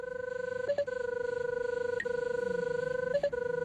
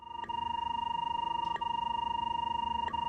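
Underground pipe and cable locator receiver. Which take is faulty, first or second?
first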